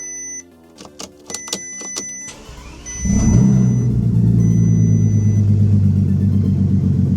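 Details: Bentley Continental GT, off the road since 2016, after a no-start was fixed by tightening loose battery terminals: a few dash chimes, then it catches at once and settles into a smooth, even idle with no misses; normal start and idle.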